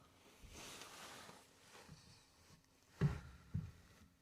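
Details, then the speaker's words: Van pedal after lubricating pivots with silicone or white lithium grease: soft rustle and two dull thumps, moving smoothly with no creak or squeak through its travel. "Just sounds so much nicer, feels a lot nicer as well. It's moving nice and smooth. You're not getting that creak, creak, creak, creak, and you can feel it sort of, you know, struggling to go down, creaking as it's moving."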